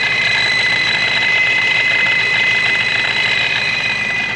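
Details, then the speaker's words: Ford Mustang with brand-new ProCharger supercharger just installed, first running before tuning on a base map: steady high even whine over smooth idle, no knocks or rattles; sounds healthy. "It seems to run like it should. It's whining and such. Listen how a brand new procharger sounds like."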